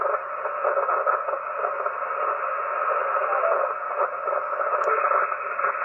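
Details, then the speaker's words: HF receiver with a steady rushing hiss and faint buzzy texture filling the whole voice band, present everywhere tuned including 160 m; constant interference noise, source unknown, making HF dead. "is that it's everywhere it's literally freaking everywhere that's the center right there no matter where i go that noise is there"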